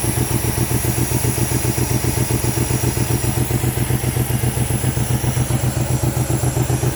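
Lumpy, shaking idle with a stumbling beat about two and a half times a second; misfire from failing coil packs.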